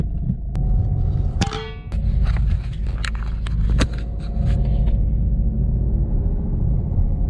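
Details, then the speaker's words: Peugeot 307 1.6 HDi after replacing the dead lower engine mount (noise was blamed on gearbox bearing; driveshaft swap hadn't fixed it; gearbox refilled with 75-80 oil), test drive: deep even rumble, few stray clunks, no speed-related growl; driveline noise gone. "Écoute. Plus de bruit. Tout ça pour un super moteur."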